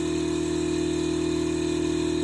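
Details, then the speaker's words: Car air-ride system bench test, management controller on a simulated battery, ignition feed connected: constant even buzzing hum at fixed pitch with fast steady pumping pulse; compressor filling the tank normally, some leaks possible. "so you can probably hear it now that's the compressor pumping up and we're putting pressure into the tank"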